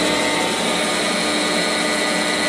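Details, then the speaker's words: Quantel Paintbox drive on power test after restoration, brakes off: smooth constant whir with steady high tones, no scraping or knocking; brief noise was just something slack slapping; drive runs normally. "Oh wait, that noise is just bounce slap. That's a bit slack on it, so it's slapping around. Okay, we have power on the drive."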